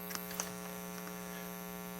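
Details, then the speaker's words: Audio amplifier fed to a non-terminated audio input: steady low buzzy hum, unchanging in pitch and level. "and that hum is super annoying and that was by the way the reason it's doing that is because i have it actually going to a non-terminated source"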